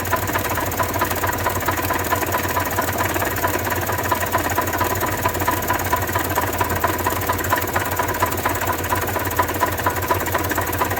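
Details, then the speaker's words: 1993 Toyota Tercel, jump-started, oil previously half to one quart overfilled: loud rapid metallic knocking over the idle, won't accelerate; owner suspects rod knock, unconfirmed. "yeah something is definitely wrong there that's a lot of knocking and uh it won't accelerate at all and uh that's a whole lot of knocking it sounds like a rod knock honestly or something"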